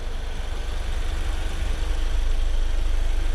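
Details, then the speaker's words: Toyota Corolla petrol engine idling after both alternator bearings (one seizing, one roaring) were replaced: smooth steady low hum with no whine, knock or grinding; noise gone. "nosso monstrengo já tá em casa sem barulho acabou aquele barulho"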